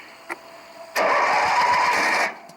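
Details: Craftsman 18 hp opposed-twin, six-speed riding mower after replacing the starter solenoid for a key no-crank that had only clicked: the starter spins the engine for just over a second with quick, even chuffs; it now cranks properly.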